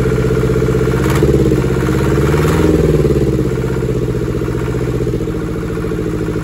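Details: Deutz F2L511 air-cooled two-cylinder diesel from a forklift, sitting about five years: steady, even low thrum at about four beats a second with a couple of small throttle swells; fires and idles cleanly.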